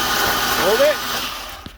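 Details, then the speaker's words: Ford Ranger engine hydrolocked with oil after the truck went on its side in a ditch: spark plugs out, ignition and fuel pump relay disabled, fast even starter whirr with no compression pulses fading after 1.5 seconds, cranking to push oil from the cylinders. "got the spark plugs out and we're gonna go ahead and crank over and see if we can't get anything out of the cylinders"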